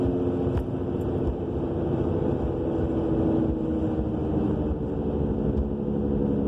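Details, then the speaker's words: 2000 Subaru Legacy AWD cruising: steady low drone with a faint held tone from the rear, appearing soon after new brakes, calipers and rotors, with the wheel bearing also new; scraping when braking, no shaking; cause unknown. "We have this mystery roaring noise coming from the back end. Changed the brakes, calipers, rotors, and not long after all that, this noise appeared."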